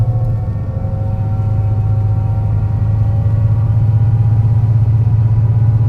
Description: Torrens Transit Morphetville’s 757, a MAN NL202 CNG with a tuneful ZF 5 speed gearbox climbing it’s way along the hilly G21 route to Aberfoyle Hub, a bad misfire in the engine causing the climb to be a dramatic but enthusing one